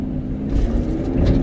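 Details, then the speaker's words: 2019 Ford F-550 6.7 Powerstroke diesel, 56,000 miles, about 1500 rpm with engine brake on, fan at 2000 rpm: loud steady roar with deep rumble; viscous fan clutch stuck engaged. "I hope you guys can hear how loud that is. Definitely verified the concern. Step one in the diagnostic process. All right, we definitely have a fan clutch sticking."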